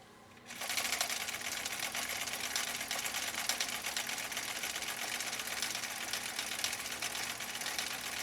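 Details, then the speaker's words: 1962 Husqvarna Viking Type 21E with 1.5 amp motor, previously dropped and repaired, sewing the cam B heartbeat stitch with upholstery thread: fast, even needle chatter over a smooth motor whir, with no catching or labouring. Normal running. "listen to the machine uh this type 21e with a 1.5 amp motor doing its thing doing its dang"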